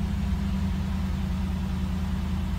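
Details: 1989 Cadillac DeVille 4.5L at idle right after ECM replacement for F32 code, cold hard start and idle hunting; steady low even hum with no misses, knocks or hunting; a slightly rough start was put down to the new ECM relearning. Normal idle.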